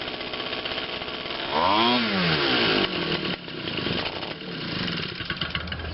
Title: My Quatra 52cc Gas engine finally hand starts